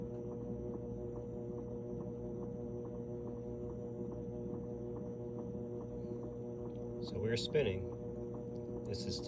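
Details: GE washer after cleaning oil off the drive belt, motor and pulley (no-spin, flashing spin light): steady low hum with faint regular tick as the basket turns slowly and smoothly; normal low-speed spin before ramping to high speed.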